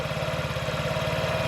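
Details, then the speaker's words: 2017 Honda Ruckus NPS50 50cc four-stroke scooter, idle screw adjustment with tachometer: slow lumpy uneven putter at just under 2000 rpm (1700–1800), about to stall; idle set too low, rpm variation suggests another issue. "all right so i'm getting close to losing there we go all right let's get in there it's just under 2 000 sounds like it's about to drop out 17 18"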